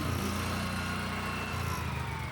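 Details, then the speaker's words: 1976 Power King tractor with weighted rear tires, started before plowing snow: small single-cylinder thumping at a steady, even beat with no misses or knocks; runs great, normal running. "But, uh yeah, let me fire it up. It runs great. I'm super happy with this thing."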